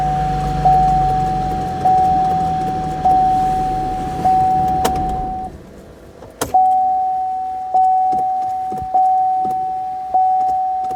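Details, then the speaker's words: 2014 Camaro whose key sometimes cannot be removed because the shifter microswitch intermittently fails to close. Sharp clicks from the shifter over a repeating warning chime. The key release solenoid is working normally at this moment. "You can hear that solenoid clicking."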